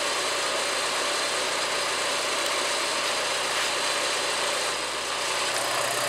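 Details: Porsche 944 Mk2 test run after replacing the front fuel lines with a little fuel in the tank: engine catches and holds a steady even run with a constant hiss-like tone, no knocks or stumbles; normal running.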